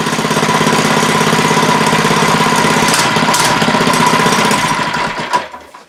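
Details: Monster Moto / Mega Moto 80cc mini bike started after sitting six months, with clean air filter, fuel stabilizer and a small squirt of starting fluid: fires quickly and evenly with a sharp rattly bark for about five seconds, then fades and stops.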